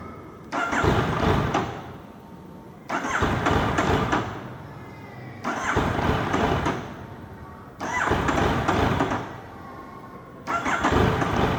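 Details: Yamaha MT-09 hard to start hot after a 30-minute ride; five separate cranking bursts of about two seconds each with no catch between them; hot engine won't fire, cause still unknown.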